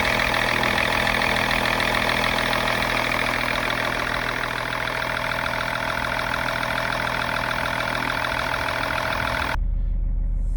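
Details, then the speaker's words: High-mileage 2000 BMW E39 530d diesel after second coolant-leak repair using rubber O-rings: steady, even idle with constant low drone, no knocks, misses or hunting for about nine seconds; runs healthy. "As you can hear, and as you could see, the engine is working."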